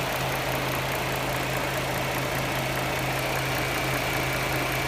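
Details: 2009 Dodge Charger 3.5L V6 at idle: light constant ticking over a low hum, occasional pinging, noticed over about 6000 km; owner also hears air device switching on and a 10 second whine after shutoff; cause unknown.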